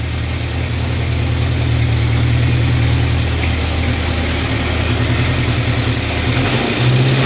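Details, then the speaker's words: Honda CB750 K4 single overhead cam four-cylinder after carburettor, airbox and wiring repairs: steady even idle with clean rev blips, no more knocking or stumbling; engine running sweetly and balanced. "She's on the button now. No more knocking or fighting herself. She sounds sweet. What a world of difference, eh?"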